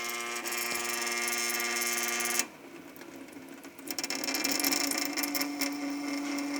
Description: Amazing Sink Resonance/viscoelastic: Interesting phenomenon. Something that is constant (the stream of water) seems to be causing resonance.